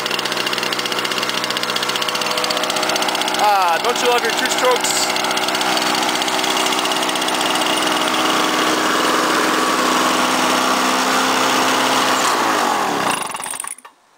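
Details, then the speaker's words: 1998 Lawnboy 10323 mower, swapped-in 6.5 hp Duraforce two-stroke, started on choke with primer; busy high buzz holding fast and steady then cutting out; idle speed too high, owner plans to adjust the governor vane. "itjust adle speed that's running a little bit way too fast for my liking"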